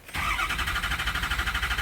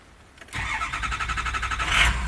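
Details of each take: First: 2007 F-250 6.0 Powerstroke, stock, crank no start when hot but starts cold: steady fast cranking never catches; ICP desired 652 psi but only just over 300, IPR at 84%; failed standpipe/dummy plug. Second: 2007 Ford F-250 6.0 Powerstroke diesel, formerly crank-no-start when hot, after repairing the failed standpipe/dummy plug: brief two-second crank, catches immediately and settles into a steady even idle; possibly a little air left in lines, but runs exactly as it should.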